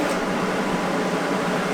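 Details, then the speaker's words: Water cooler for a water-cooled welding torch (pumps water through a rear radiator to the torch), louder than the welder itself; steady even pump and fan whoosh, no knocks or rattles; running normally. "you know what's crazy it's not actually my welder that's this loud it's actually my water cooler"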